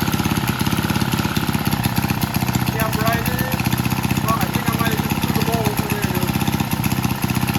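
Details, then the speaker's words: Vintage Lauson single-cylinder engine on a yard-sale jump starter, rope-pull started after transmission fluid was added and left overnight; even chuffing about four beats per second, no misfires. Owner suspects a valve wasn't seating. Normal running. "Heck of it, I threw the rope around that sucker, give it a pull. First pull, took right off. Ran beautiful."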